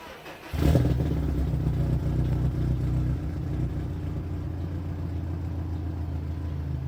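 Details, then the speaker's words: 2016 Subaru WRX STI after replacing an AEM 320 L/hr fuel pump that failed within three weeks, started after a third prime: it catches within a second and settles into a steady, even low rumble with no misfire. Clean idle. "yeah I think we got her fixed"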